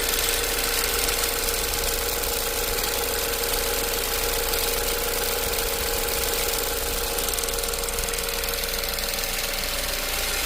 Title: Ford Focus 2015 Ticking/Clicking Sound